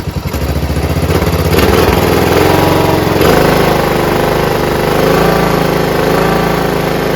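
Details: John Deere RX75 rear-engine riding mower, first run on its own after fuel line replacement, before ignition switch fixed: catches quickly, settles into steady, even putter, no misses, surging or hunting; normal idle, no carb clean needed.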